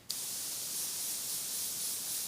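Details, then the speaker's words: Galler Mobius airbrush, 0.2 nozzle, crown cap off, Createx Illustration thinned 1:1 with water, air pressure turned down: smooth, steady high-pitched whistle with no grainy spitting, normal spray from well-thinned paint. "how nice that brush sounds that like like high pitch whistle with the paint going through I just know that's going to spray ice doesn't sound grainy coming out the brush"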